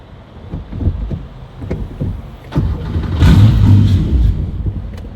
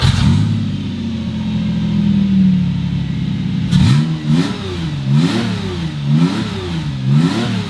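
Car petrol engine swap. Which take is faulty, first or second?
first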